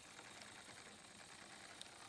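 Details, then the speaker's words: Lima Class 37 model diesel locomotive, old model running slowly at raised power: thin, high, steady raspy buzz from the motor, no knocking; Lima motors known for screaming noise. "although you can already hear the motor sort of buzzing a bit sort of doing the Le and noise"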